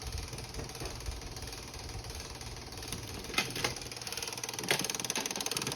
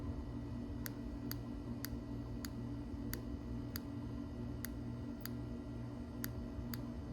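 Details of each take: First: 2007 Suzuki GSXR750 revived after about 10 years sitting: quick light clicks, three or four a second, from the cable-driven exhaust flapper valve actuator. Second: 2007 Suzuki GSXR750 that sat about 10 years, fuel injector bench-tested with 12 volts, air conditioner running in the background. Sharp single clicks with each application show the injector works; it is to be cleaned.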